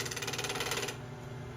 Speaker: you can hear that that's very chattery. It's not very level at all yet.